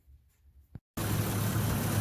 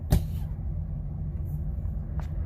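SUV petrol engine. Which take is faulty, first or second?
second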